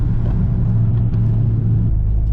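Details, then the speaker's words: Mitsubishi Evo on its first drive after the front wheel bearings were replaced: a steady low road rumble with no rising hum or growl. The earlier front-end bearing noise is gone, though the car now pulls left. "right i am confident in saying that was the noise in the front wheel bearings noise is gone no more"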